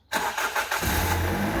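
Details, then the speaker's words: Petrol engine's second start after a loud front-end rattle on the first morning cold start: cranks briefly and catches into a smooth idle with no rattle; owner suspects oil hadn't reached it yet. "ไม่ดังละแล้วครั้งต่อไปก็ไม่ดังเหมือนกันเพราะว่ามันเหมือนจะแบบน้ำมันขึ้นมาเลี้ยงอ่ะ"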